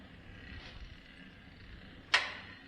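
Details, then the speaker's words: Lycoming O-320 aircraft engine at its annual service, propeller turned by hand during compression checks: one crisp snap. The impulse coupling now trips and fires the left magneto properly, which it failed to do days before. "Hear that snap? That's what it wasn't doing the other day. That snap is the impulse coupling firing the left magneto."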